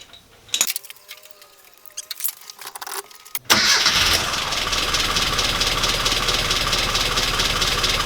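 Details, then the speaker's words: Classic Mini after a misfire fix with new rotor arm, distributor cap and spark plugs plus readjusted timing: it cranks briefly, catches, then settles into an even, steady idle with no stumbles, running much better. "so my money's now had a new rotor arm new cap new spark plugs the timings been readjusted and it's running hell a lot better so I'm really really happy with the results here"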